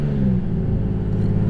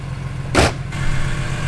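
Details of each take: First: BMW E46 M3 with an RKTunes tune and six-to-one exhaust header, revving: a deep, smooth rumble rising evenly with no misses or rattles. A normal exhaust note, though idle had been struggling. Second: Modified, tuned BMW E46 M3 idling: low, lumpy, hunting idle with one sharp exhaust pop; engine struggling to hold idle, no rod knock suspected.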